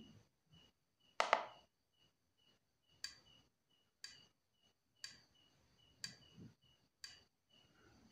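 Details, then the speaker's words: Yamaha Mio Soul GT that dies when throttled, during a scanner injector test: five crisp, evenly spaced single clicks about a second apart in a quiet room. The scanner reads the injector as normal. "injektor injektor juga sama kita klik enter di sini nanti ada bunyi jetik lima kali"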